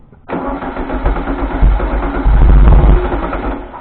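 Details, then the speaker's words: 1973 VW Thing, restored, first start after wiring work, ignition held on with a screwdriver: catches after short crank, revs unevenly a few seconds, then fades and dies; fuel suspected, or lack of a 12-volt constant feed. "I need to hook up that 12-volt constant so I don't have to sit here and hold it with a screwdriver? So it stays running? Yeah. It might be just dying because try it."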